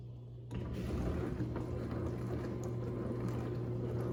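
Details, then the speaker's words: Dishwasher after removing a piece of plastic and glass that caused a loud humming noise, rinse-only cycle: low steady hum with water swishing, no pump grinding or rattle; normal wash pump operation after repair. "There you have it, folks. Operating as it should."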